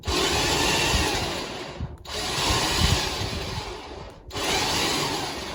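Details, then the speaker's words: Electric winch on a car trailer, powered by a battery that needs charging: steady whirring pull in two long runs with brief pauses, no straining or grinding; normal winch operation. "There we go. Just like that. Very, very easy. So that pulled it up there with not an ounce of problem."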